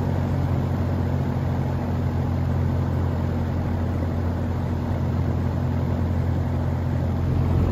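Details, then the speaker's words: GE box fan motor after repair of a winding broken in a drop (soldered, heat-shrunk, windings coated in liquid electrical tape), blade fitted, on high: even low hum with steady whoosh of air, no rattles, ticks or wobble; normal running. "I don't know but it's running just fine so I'll put the blade on and we'll be able to listen to it right yeah let's start it up on high"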